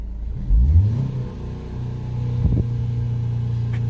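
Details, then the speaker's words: Ford DPS6 dual-clutch transmission after clutch replacement, engine warm after 10–15 minutes running, during clutch touch-point adaptation: revs climb high, then rpm dips twice as each clutch touches before settling; normal relearn. "kind of listen for the rpm it's going to drop twice where it's going to touch it's a touch point i mean it's it's a high rpm and then it kind of touched them a little bit and then touches it again"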